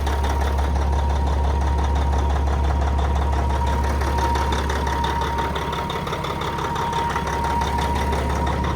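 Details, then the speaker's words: Old truck with old Caterpillar diesel at an auction yard: deep, even idle with steady clatter and a faint whistle, no misses or knocks; sounds healthy. "That old cat sounds good though, doesn't it?"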